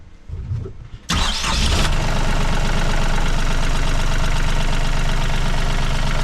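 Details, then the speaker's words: Diesel engine on Tartan 37 sailboat after end-of-season maintenance: short crank, fires at once, settles into even steady idle with no knocks or misses, water flowing from exhaust; normal start and idle. "I think we've done everything just need to start it up and make sure there's no leaks and uh that it's running good all right fire it up"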